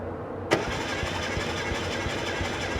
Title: engine won't start